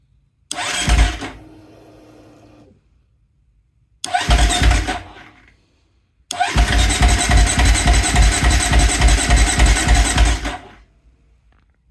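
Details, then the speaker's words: 2019 KTM 350 XCF after fuel pump replacement (had stalled, wouldn't start or idle from low fuel pressure, ~20 psi versus 46–50): three buzzing whirs, last steady about four seconds, purging and building pressure normally. "right it's purging the systems getting everything out of there here we go there we go getting up to pressure all right so pressure is up now"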